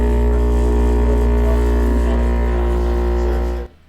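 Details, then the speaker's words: Refrigerator compressor: a loud, steady low droning hum with a buzzing edge runs unbroken, then cuts off sharply; the compressor is vibrating excessively, and cloth stuffed under the drip tray did not reduce it. "Já imaginou dormir de noite com barulho desse? Ninguém merece."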